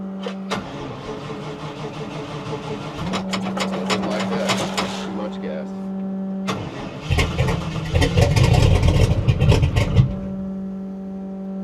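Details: 1960 Chevy Biscayne being cranked with the throttle floored: long uneven cranking with coughs and a brief stumbling catch, then it falters. It has plenty of fuel pressure; the finding is a hard start with a flooded carburettor.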